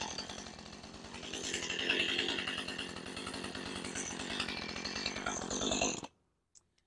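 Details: Husqvarna 435 chainsaw with idle speed already set correctly: high, buzzy idle for six seconds, then cuts out, chain keeps spinning; cleaning the clutch did not fix it, so worn centrifugal clutch (springs) suspected.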